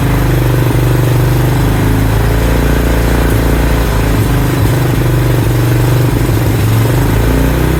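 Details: 2000 Honda Foreman 400 4x4 single-cylinder, old possibly low fuel, after wasp nest found: steady thump at slightly raised even idle, no misses; sounds like still on choke, suspected, not confirmed.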